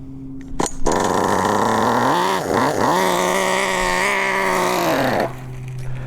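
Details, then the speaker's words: Nitro RC car (MP9) engine during running-in, high-speed needle being leaned: high buzzing rev that sags and recovers, blubbery and slow to clean up; still too rich, rich mixture running. "Still a bit too much, so we can take away a little bit more."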